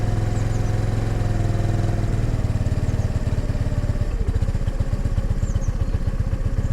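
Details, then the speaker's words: 2022 Honda NAVI carbureted single, cold kickstart at about 28°F, on choke: the idle lopes and stumbles with uneven, hunting beats, then the rhythm shifts as choke is reduced and it leans out, yet it still runs rich. Rich idle stutter on choke. "so it's stuttering because of the choke and then it leans out as i go off choke but uh air fuel is still pretty rich on it"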